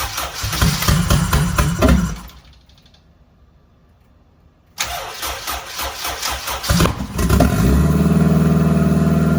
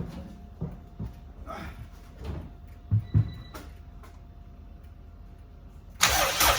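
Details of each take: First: First start-up of a home-built turbo Honda Civic EG: two cranking attempts, then it catches and settles into a smooth, even idle with no knocks and no leaks, some smoke; healthy first start. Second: Honda Civic EG turbo build, first start-up on an ECU file from the previous car with the same injectors: uneven sputtering bursts as it cranks and half-catches, never settling; some smoke, no leaks, fueling all out of whack.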